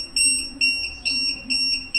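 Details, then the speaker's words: DIY LiFePO4 12 V motorcycle battery after one year of use: shrill beep about twice a second from a LiPo cell checker flagging a cell below 3 V; LiFePO4 can go lower, so not a problem. "ஏதோ ஒரு battery வந்து 3 வோல்ட்டுக்கு கீழே வந்திருக்கும். அதனால தான் இது வந்து பஸ் ஆகுதும்."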